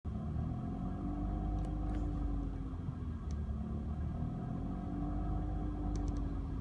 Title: BMW E46 Strange Engine Noise